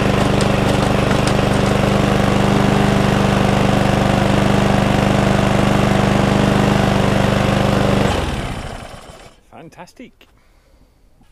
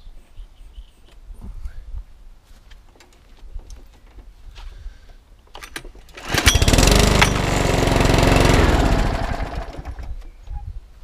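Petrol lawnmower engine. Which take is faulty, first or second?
second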